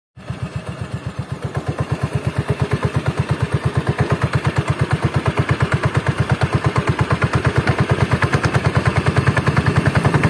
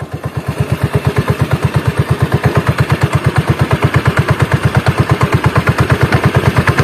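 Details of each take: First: Carbureted Honda Beat scooter CVT, parts under two months old: low idle with coarse, lumpy rattling pulse, rough at low rpm from the belt drive; rough CVT noise, cause suspected, not confirmed. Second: Honda Beat carburetor scooter after CVT teardown and repair for rough CVT noise at low rpm: even putt-putt beat about two per second, smooth, no helicopter-like rattle anymore; transmission now normal.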